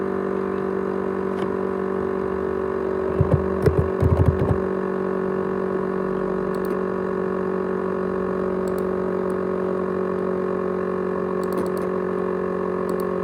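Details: ASUS X543UA laptop with 500GB USB hard drive: steady droning whine at constant pitch with a few light clicks, rattling, jet-engine-like noise; the drive runs abnormally loud, cause unknown.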